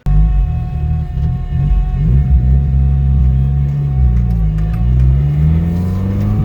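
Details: Nissan SR20DET driven under load after fitting a new Bosch cam angle sensor: uneven, stumbling pull through the revs. The misfire and stalling persist and the cause is not yet found.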